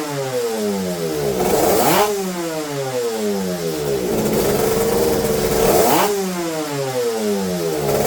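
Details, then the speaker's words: Yamaha TZR250 two-stroke being mapped on ordinary petrol before methanol/E85: crisp ring-ding climbing smoothly to high revs and dropping back twice with no stumble or bog; picks up cleanly. "And it seems like it starts to behave quite good. I'll start it again and you'll hear it."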